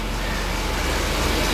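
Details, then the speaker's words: 1977 Mercedes 450 SLC, warm, after idle adjustment, in drive: slow, slightly lumpy steady low thrum at about 600 rpm against 750 spec; idle speed low. "Yeah, it's only doing about 600 RPM."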